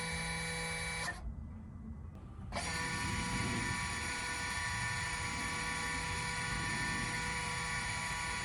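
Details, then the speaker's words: 2018 Jaguar XE S 3.0 with ZF8 in neutral, after the rear-brake maintenance-mode procedure: even, steady motor whirring runs, pauses briefly, then resumes smoothly as the rear park brake caliper motors cycle normally. "Okay, just to doubly confirm all that, let's just try and catch the noises that you should really be hearing when this actually happens."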